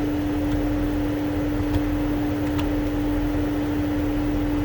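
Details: 2008 Mercedes-Benz CL500 (W216) with no heat and a dead blower: engine cooling fan stuck on high, a constant unchanging roar; code 0237 fan request implausible, and the climate control module is not communicating over CAN.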